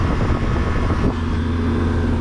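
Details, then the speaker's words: Manitowoc ice machine after replacing the fan switch (symptoms: little ice, high pressure switch tripping): steady low hum and constant fan rush, no rattle; condensing fan running normally as the new switch brings it on. "our fan is running because our fan switch is actually bringing on the fan like it's supposed to"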